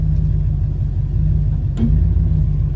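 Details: Vehicle after 6R80 transmission swap and a driveshaft vibration fix (sleeve fitted at the tail-shaft output to remove wobble): even low road rumble at steady cruise, just under 50 mph, about 1,500 rpm. No wobble, throb or shudder; driveline smooth.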